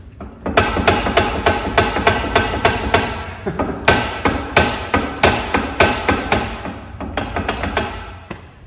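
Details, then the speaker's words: Ferrari California T, raised wheel rocked at the mechanic's: sharp uneven clunks about three a second from hub play; wheel bearing gone, replacement needed along with suspension parts, sway bar and links. "Wheel bearing's gone. So yeah, need another wheel bearing, and then also, like I said, they're going to do suspension parts."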